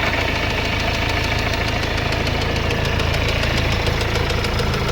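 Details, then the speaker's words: Mercedes-Benz CLS W218 engine on light throttle: sharp regular knocking at three or four hits a second that follows engine rpm; suspected worn crank bearings, possibly a major repair. "แตกคันเร่งหน่อยหน่อยเดียวเมันเขกตามรอบเลยกๆๆนี้ผมก็ว่างานใหญ่อีกแล้ว"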